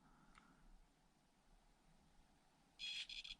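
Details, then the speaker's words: Cheap Zombo RC brushed ESC on 2S in an SCX24 micro crawler: thin high-pitched motor whine in short bursts while creeping; low-speed modulation is fairly good but the whining is annoying. "little bit of whining but quite nice slow speed modulation unfortunately you can hear the whining"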